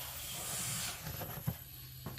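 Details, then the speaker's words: Dodge Caliber 2.0 with P0300 multiple misfire, worst on cylinder one: leak-down air hisses out the intake tube, intake valve not bent but not sealing from carbon buildup on the valve seat. "Finally found a problem on this. It was leaking from the intake valve when I did a wet test on the cylinder."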